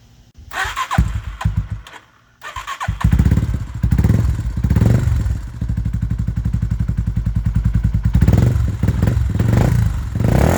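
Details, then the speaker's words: Warrior 350 single-cylinder after valve adjustment (missing intake adjuster bolt found on exhaust side, set about 0.18 exhaust, 0.08 intake) to cure top-end ticking; fires after a few cranks, steady even thump, no tick, runs normally. "that sounds a lot better all right so we're going to take this thing out for a little rip show you that everything's all good now"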